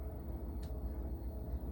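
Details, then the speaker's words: Samsung washing machine, about 14 years old, after replacing flange shaft (spindle) and bearings: soft steady low drum rumble with no clunks, knocking or grinding, far quieter than the previous racket; drum running quiet and healthy. "Well, it's quiet. Normally it's already it was a lot more annoying sounding than that."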